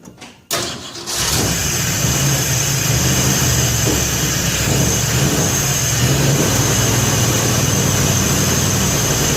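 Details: Freshly assembled 302 V8 in 1966 Ford F100 shop truck, after replacing oil pressure sending unit: short crank, fires right up, steady even idle without knocking or ticking; gauge reading still doubted.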